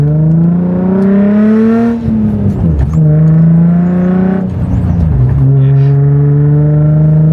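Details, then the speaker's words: Nissan 350Z driven about five minutes after fixing a Y-pipe exhaust leak with an extra-thick gasket (Tomei cat, test pipes): deep, refined exhaust tone rising through gear pulls, no hissing or rattling; exhaust sealed and normal. "The Hankko is definitely I'm hearing the Henko now to its full extent or full potential. Very deep, very refined. Just sounds good overall."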